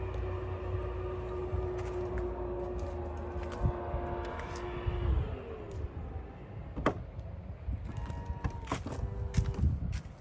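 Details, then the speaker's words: 2021 Toyota Highlander power liftgate closing after graphite dry/silicone lubricant was sprayed: smooth steady motor hum, then latch clicks with no squeak, where it had squeaked before. "So it didn't make any squeaky noise when it was closing, so which is a good news."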